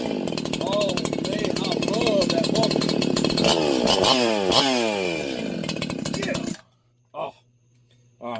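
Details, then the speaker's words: Freshly ported 501p / 4910 chainsaw on first run; screams at high revs with thin, buzzy pitch that hunts and sags before cutting off, running lean and needing more fuel. "that means it needs to be a little bit fatter. So, it needs a little more fuel."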